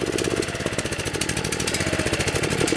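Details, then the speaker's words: DR TR-1 walk-behind trimmer, Kawasaki FC150V 6.75 hp engine, after long storage: steady chuffing idle but won't rev up; slow-speed circuit works, main jet in gummed carburetor suspected plugged, starving for gas. "it seems like it'll idle okay just won't wrap up break up what that's telling me is the main jet inside the carburetor is plug"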